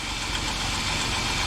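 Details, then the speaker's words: 2007 Jeep Wrangler 3.8L, about 300,000 miles, after rocker arm shaft and valve cover gasket replacement for a random tick: initial startup clatter from oil-empty shafts gone, now an even, steady idle without tick; normal idle. "But it's sounding good, running good."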